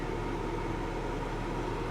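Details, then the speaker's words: BMW xDrive35d diesel, bought sight unseen, first start with check engine light on: even steady diesel clatter at idle, no misses or knocks, runs smooth. "it runs so smooth you got your cup holders little fake ash tray and a little oh it even comes with a cigarette lighter"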